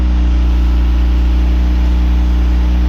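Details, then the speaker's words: Boosted Mazda Miata at its first start after the engine was reinstalled, with good oil pressure confirmed before checking for leaks. It idles with a smooth, even, deep hum and no knocks or misses, sounding healthy. The owner still reports VVT problems. "I'm gonna go check for leaks. It's running, sounds good. Sounds good. Purring like a kitten."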